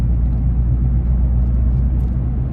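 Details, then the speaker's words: 2015 Nissan Frontier at 41–42 mph on smooth road: low steady warbling hum over road rumble that stops when turning slightly right; worn front wheel bearing, before replacement. "that's a perfect indicator there's a wheel bearing going out it's kind of a a low frequency warble sound"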